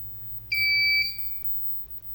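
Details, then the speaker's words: Inverter with control PCB stacked on heatsink, short-circuit test with no load: single sharp high-pitched half-second beep as it trips short-circuit protection before restarting. "Kita tes lagi uji short tanpa adanya daya beban. Bisa protect, kemudian on lagi nanti dalam 3 detik."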